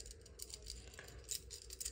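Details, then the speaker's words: Electrolux EI11BF25LS fridge whose compressor hums and tries to start. Old compressor start relay gives a loose tinkling rattle when shaken by hand: its internal ceramic disc has broken. Relay needs replacing. "it has a little small disc inside ceramic disc that disc breaks over time and then it doesn't work anymore"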